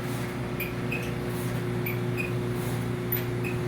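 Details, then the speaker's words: Second-hand replacement clothes dryer running: a steady low hum broken by short, high squeaks about every half second to second; cause unknown. "either way it's making really really horrendous noises and uh yeah um none of the none of the noises i'm hearing sound anything like singing [Music] but there you go there you have it oh the squeaking's back you can hear it"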